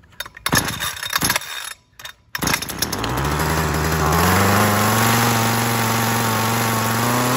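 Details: Ryobi HT26 hedge trimmer two-stroke after replacing carburetor bad from sitting with aftermarket HIPA carb, started on full choke; a few pulls then catches into steady even buzz climbing slightly as it warms; runs healthy.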